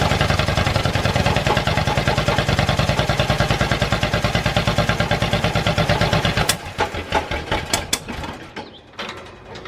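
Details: Ford flathead V8 on an old farm irrigation pump, fuel bowl cleaned with new gasket, carburetor not rebuilt, no fuel from accelerator pump: even starter cranking about three beats a second, then ragged pops as it tries to catch and dies; starter gear may be hanging up.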